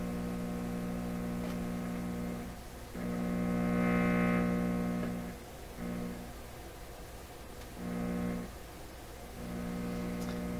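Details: PYE 39HC shortwave broadcast valve receiver with the radio section separated from the audio section: steady low buzzing mains hum with a bright edge, swelling and dropping with adjustments, sourced entirely in the audio stage.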